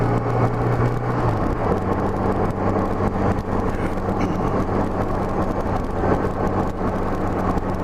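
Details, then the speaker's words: Honda GL1200 Gold Wing riding after Honda Service Bulletin #10 carburetor kit fixing low-speed partial-throttle hesitation: engine note rises evenly under light throttle over wind noise, no stumble or misfire. "know if you can hear that but I was accelerating up just light throttle but it's not stuttering one bit really feels good now"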